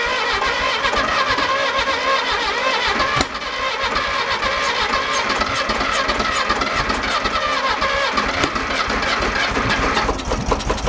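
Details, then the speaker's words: 1966 VW Bug being revived: catches and runs but firing is ragged and uneven with a clattery stumble that comes and goes; rough running, valves suspected binding or hanging up, valve adjustment planned. "that didn't sound good at all thinking the valves are kind of a little binding a little go ahead I'm not sounding too promising"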